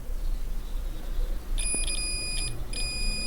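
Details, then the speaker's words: Asus VivoBook X543M laptop that won't turn on, motherboard checked with multimeter in continuity/diode mode: steady continuity beep as probes touch a coil; coil shorted straight to ground. "and you can see straightforward it's short head and you can hear the sound okay so what is our problem here our problem uh it's here maybe something short said"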